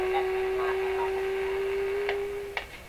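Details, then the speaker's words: Rogers 11RA651 shortwave radio during capacitor replacement: steady low whistle in hiss with sharp clicks, volume dropping after one; may be power-line or external interference. Intermittent clicking in radio audio. "I still hear the clicking. Now some of that clicking could be coming through the power line. It could be external interference causing that."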